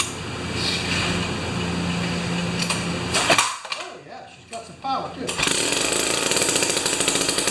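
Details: Jiffy 30 2-stroke 3HP ice auger after carburetor work, J19LM plug instead of J17LM: high steady drone, brief drop, even pickup; mixture screw set lean for whining high rpm then turned out a little, runs well.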